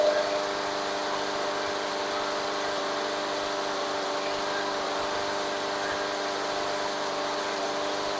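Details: Craftsman 21-inch mower, Briggs and Stratton 6.5 hp, after carb clean: steady, even hum with constant pitch, no misses or knocks; idling smoothly and running normally.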